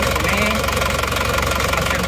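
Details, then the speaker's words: Isuzu Panther Touring diesel, overhauled a year ago but blowing by again; cold idle loud, rough, shaking, lumpy beat with heavy knock, one cylinder weak; mechanic suspects scored liner; oil filler shows heavy blow-by. "ada kemungkinan menurut iramanya jadi satu-satu ini ada kemungkinan ini pelindungnya sudah baret ya ini ada kemungkinan linernya sudah baret makanya ini satu silinder seperti kurang ada tenaganya dan pincangan"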